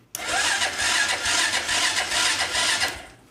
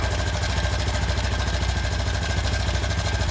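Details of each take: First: 2001 Honda Foreman 450S ATV, non-running, reportedly lost spark: starter whirs and spins engine steadily about three seconds but never catches; cranks fine with no spark, oil checked, fuses next. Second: 2001 Honda Foreman 450S ATV, choke on, battery jumper, after replacing blown main fuse to restore spark: fires straight away, idles with quick even pulse six seconds before shutoff; starts and runs fine.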